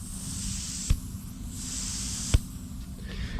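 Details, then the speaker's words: Worn tire on a combine during harvest-season maintenance gives a steady high hiss with light clicks; air is leaking around a plug in the tire, which the owner first took for a valve-stem leak, and new tires are ordered. "You can't see it now, but this tire right here has a nice leak in there. I can actually hear it. Just barely."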